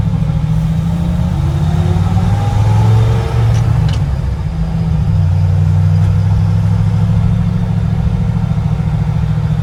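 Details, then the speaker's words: Truck on its first drive after swapping the Eaton 4.56 rear axle for a 14-bolt with 3.73 gears, cruising in town around 1800 rpm: steady even low drone under light load, no rattles, clicks, clunks or whine; drivetrain healthy. "but so far so good here no weird rattles or clicks or clunks or anything the brakes feel okay"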